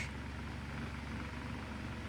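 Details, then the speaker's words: Mainstays 12" oscillating table fan on high. A steady low droning hum with a coarse, rattly buzz underneath: extreme vibration, the fan shaking badly. "this thing is vibrating extremely this is probably the worst vibrating fan I've ever seen in my life and I'm sure none of you fan collectors have ever seen something vibrating this much"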